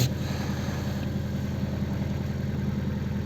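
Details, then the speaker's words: Gentra just started at -20°C after standing outside overnight, hood open; warm-up idle about 1400 rpm; steady raised idle hum with soft even pulse, no knocks or misses; normal cold-start fast idle. "оборот 1400 где то получается еще идем двигателя так вот так вот работает нас двигатель"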